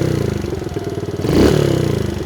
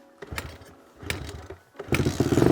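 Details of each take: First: Kawasaki KLX110 pit bike after fuel screw and idle screw adjustment (about a turn and a half out) and new pipe: even single-cylinder idle, then clean quick blip revving out fully; normal idle and rev. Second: Stock Kawasaki KLX110 pit bike, previously found with broken valves and a backwards piston. A few dry cranks, then it fires and holds a fast idle that won't drop (hanging idle). The carb fuel and idle screws were then set about 1.5 turns out, and it ran much better.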